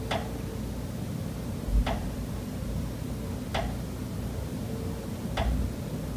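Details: Pipes behind the kitchen wall of condo unit S407 knocking constantly day and night, here more rapid: sharp single knocks about every 1.8 seconds, roughly 33 a minute, over a low hum, audible through the whole kitchen and living area.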